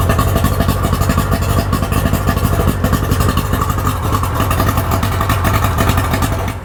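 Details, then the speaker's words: Tohatsu three-cylinder outboard after repair: steady even putter with regular firing pulses, no misses; all three cylinders working, healthy idle. "the engine runs really good it idles really good all three cylinders are working how they're supposed to be doing"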